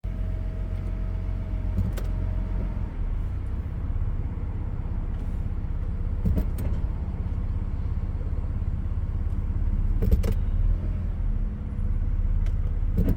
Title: 1997 Lexus LX 450 clunking noise when shifting from Reverse to Drive